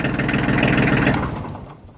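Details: Kioti DK35/45 diesel tractor after the timer relay was replaced (before, it would not shut off with the key): the steady diesel chug cuts cleanly at key-off and winds down to silence within a second. Shutdown now works properly.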